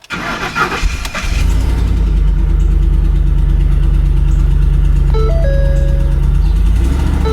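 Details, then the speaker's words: Ford F-150 4.6 V8 first start after rebuild, timing codes cleared, new Melling oil pump: brief crank, catches cleanly, settles into even, steady idle with no knocks or ticks and good oil pressure; sounds healthy. "Hey, she runs. Well, I'll be daggone. She sounds really good."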